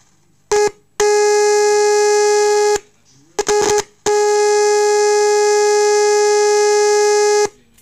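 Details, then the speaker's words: Orion R545A radio restoration, audio signal injected at volume potentiometer wiper: loud steady clean test tone then drops in level as volume is turned down, no hum or distortion; amplifier section works properly. "the amplifier section of the Orion chassis works perfectly so I'm I'm really happy with that"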